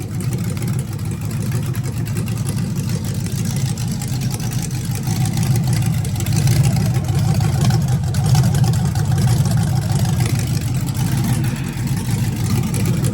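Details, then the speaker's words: V8 in NBS single-cab truck build with Holley ECU, first start: steady even low rumble at fast idle, no knocks or ticks; converter not hooked up, transmission spun and spilled fluid, so run kept short. "Got the motor started, a little beer."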